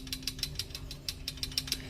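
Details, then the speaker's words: Pushrod CG-type motorcycle engine: sharp metallic ticking six or seven times a second over a low idle from excessive clearance between rocker adjuster and valve tip; fixed by setting valve clearance to spec. "holgura excesiva entre el ajustador y la punta de la válvula hace que tenga un sonido metálico solucionamos el problema calibrando las válvulas a la holgura adecuada"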